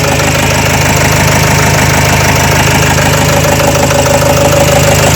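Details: Renault Trafic 2 / Opel Vivaro, M9R780 2.0 diesel, before repair: loud uneven idle, steady knock about three per second, misfiring from failed cylinder 2 piezo injector (short-circuit code, 0.31 ohm resistance, fuel correction 5.02).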